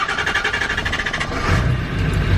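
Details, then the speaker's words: Ford Power Stroke diesel truck after fitting the new cam position sensor and removing a replacement IDM that ran terribly: even diesel clatter, about eight beats a second, settling into a steady idle with no misses; normal idle. "we're running perfect with the new camp sensor"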